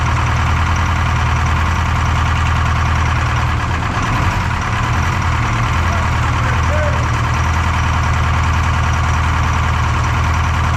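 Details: Detroit 4-53T diesel with 9G90 injectors, about 30 miles on them, full fuel with the modulator off, in the shop: loud clatter, uneven lumpy beat. Injector number two, coldest by IR gun, not firing: dead cylinder.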